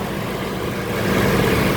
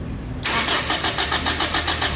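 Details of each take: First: Toyota Innova gasoline after unplugging a power outlet suspected of shorting, which had caused crank-no-start: engine catches and settles into a steady even idle with no stumble or knock; runs normally. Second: Toyota Innova gasoline with dashboard blackout at key-on: starter cranks evenly about three and a half beats a second but engine never catches; crank, no start, traced to blown injector fuse.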